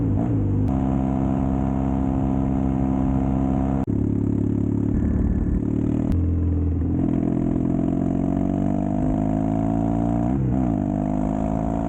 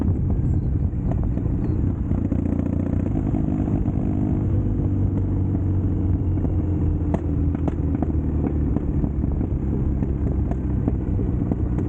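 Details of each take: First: Custom Triumph Bonneville T100 with Down & Out drag pipes, after stage 1 torque kit and stage 4 ECU remap: deep even twin grumble following throttle, no overrun pops or bangs; normal exhaust note. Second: Custom Triumph Bonneville T100 on Down & Out Customs drag pipes, before stage 1 kit and ECU tune: loud throaty twin rumble with scattered sharp pops and cracks; untuned mixture causing backfire, with lost torque and top speed.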